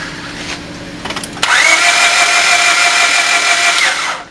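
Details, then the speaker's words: Engine cranking with a compression gauge fitted: fast, even starter whine with no compression chuffs, about 10 psi against roughly 150 expected. No compression due to a broken timing belt from a missed replacement. "now if you notice it doesn't sound like a regular engine starting and that's because we have about 10 psi worth of pressure when in reality we should have around 150."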